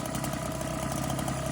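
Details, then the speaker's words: Husqvarna 130BT leaf blower two-stroke on 50:1 mix with aftermarket carburetor, held at wide open throttle for a couple minutes for a plug check; steady, even high buzz without surging or sputter. Normal full-throttle running. "But it sounds like it's running pretty good."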